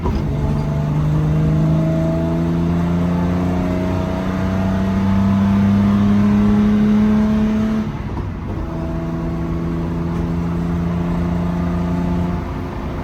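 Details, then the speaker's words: After rebuilding Solex Mikuni Type R carburetors and adding a throttle return spring: engine pulls cleanly through rising revs and shifts with no stumble, hesitation or throttle hang; runs healthy. "I think we can call that a success. No stumbling, which is good. No throttle hang."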